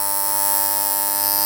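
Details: Andis T-Outliner trimmer during silencing with stuffing, still needing more; loud, steady, high-pitched harsh buzz, excessive noise.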